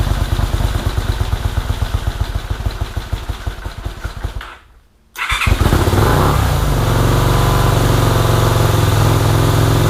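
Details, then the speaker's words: Mid-1980s (1984) Honda VT250 V-twin after sitting, first start with fuel dribbled into carburettor: quick cranking pulses, catches, then an uneven lumpy idle that never smooths out; runs poorly, owner believes choke stuck on, carbs to be checked. "so all right well the bike runs not very well um albeit but it does run i believe the choke is stuck in the um on position or at least that's the way it feels"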